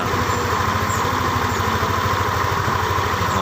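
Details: Yamaha Lexi scooter idling with a coarse, uneven snoring rumble from inside the rear CVT, also sharp when the throttle is released, not from covers or plastic.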